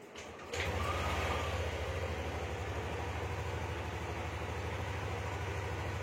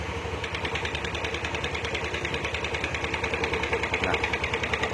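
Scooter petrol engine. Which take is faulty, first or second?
second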